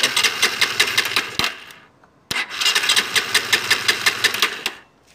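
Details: R-180 motorcycle before repair, hard starting with no electrical power: two bursts of rhythmic cranking about three beats a second, no catch; no spark from busted pulser coil, also a bad neutral sensor O-ring, both to be replaced.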